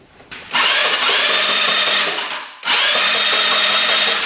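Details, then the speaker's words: Scooter unused for a couple of years, seller said non-running: electric starter cranking after penetrating oil down the cylinder, two ~2 s bursts of high steady whine with even turnover and no knocking; cranking sounds healthy. "Sounds pretty good. Not hearing any knocking."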